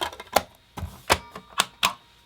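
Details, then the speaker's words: PS1 console not reading discs: sharp, uneven clicks about twice a second with no disc spin or hum; laser suspected, fault traced to a broken connection. "yeah you can hear it clicking let's try that one more time let's see if we can hear it yeah and the disc isn't actually moving either"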